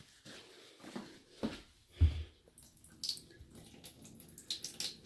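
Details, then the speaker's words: Hot water heater drain valve after flushing the tank and shutting the valve: scattered soft, irregular drips slowing in a quiet small room, a slow seep from the closed valve; its stiff knob had to be oiled. "Oh, Well, it's barely dripping anymore. Only a little. But maybe it'll stop dripping later on."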